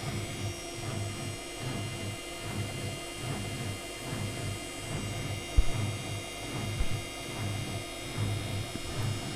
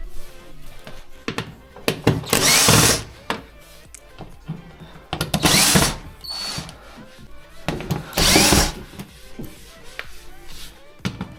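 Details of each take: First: Electrolux washer-dryer after replacing a broken, loose drum pulley that caused rattling during washing. Low steady drum hum with soft swishing and only the odd light bump: healthy, quiet spin. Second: Electrolux washer-dryer that has long been knocking during the wash. Heavy thuds and clattering surges every few seconds as the drum turns. The drum pulley where the belt fits is cracked and loose on its shaft and needs a replacement ordered by model.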